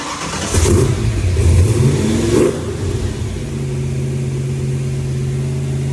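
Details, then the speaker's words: Project car starting after a month-long build with new $120 DIY exhaust and ram air intake: starter catches, throaty revs, then deep steady even idle; muffler sounds good, timing good, running healthy. "you hear that hear the muffler good well our timing is good I guess out this time I love the way it sounds"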